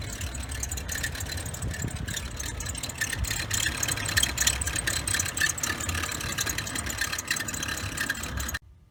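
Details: 2011 BMW 535i at cold idle, 7 a.m.: uneven rattly chatter and a faint chirp over the engine from the belt tensioner pulley, which is noisy when cold; it is being replaced after earlier tensioners failed.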